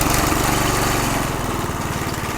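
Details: McLane 20-inch reel mower with a small single-cylinder engine, sat about 20 years, calibrated and governor working: fast, even pop at steady throttle with no misses or knocks; runs healthy.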